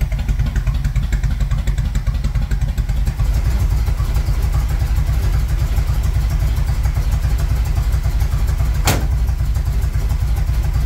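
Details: 1978 Monte Carlo V8, rebuilt 2004, sat for months: uneven, lumpy idle with irregular pops and one sharp backfire crack, stumbling; rough running with backfiring, owner plans timing work.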